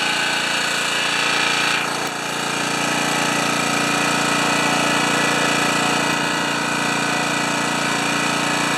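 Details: Honda HRA214 mower after carburetor main jet rework and an oil fill, which normally runs 3500–3600 rpm: loud, steady small-engine drone with no hunting or surging; running evenly and healthy.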